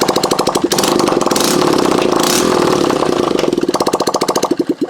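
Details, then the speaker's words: 2008 Honda CBF125 with a replacement engine of unknown condition, old oil, exhaust not yet fitted: it catches first try and settles into an even, crisp putter with clean blips; it starts and idles fine. "so that kicks off so Random engine out of a random bike that we didn't know if it worked that sounds perfect"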